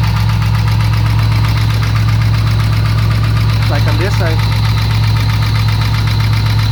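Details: LS1 Camaro V8 at idle: a sharp, even knock about four times a second over the steady rumble. Source not pinned down.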